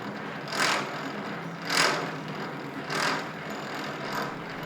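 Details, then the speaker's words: Old Rockwell lathe, first run after reassembly, no grease on gears yet, only light assembly oil on shafts: rattly clatter swelling about once a second, like loose teeth slapping; traced to mis-set adjustment between two gears. Gear mesh noise. "that's the first run and it sounds like a bucket of bullets there isn't in Greece on any of the gears yet they're just light assembly oil on the shafts"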